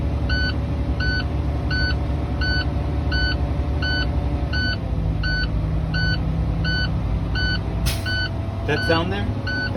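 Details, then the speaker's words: Truck in-cab inspection: engine idling under a steady repeating warning beep, then a sharp burst of air hiss as the air governor cuts out, showing governor and cut-out are working properly. "that's your indication that your governor and your cutoff is working properly."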